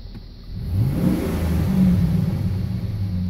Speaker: Sound goes away. Comes back.